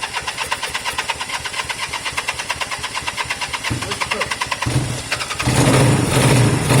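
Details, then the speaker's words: Honda CB200 twin first start after many months stored, air filters refitted: fast even cranking chuffs about four seconds, then fires, catches and settles to steady idle; normal start. "all right I want it to kind of idle for a few minutes so that's good it started up yeah really good"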